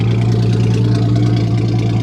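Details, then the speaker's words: Ford Mustang, 121,000 miles, aftermarket exhaust, at idle: deep, loud, steady rumble with almost no high end, far louder than stock; no exhaust pipe visible, mufflers suspected missing. "Well, there's no exhaust pipe. I can't see if there's an exhaust at all. I think we're missing some some mufflers."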